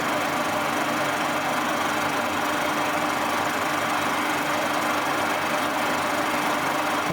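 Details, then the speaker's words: Boring mill with new tooling, taking a fairly light facing cut: smooth, constant whirring hum with a steady mid-pitched tone and no clunks. Normal cutting operation. "a fairly light cut I'll run through its PES and then bring it back and take another one as you can see it's just fling up the surface it's doing a very nice job as well"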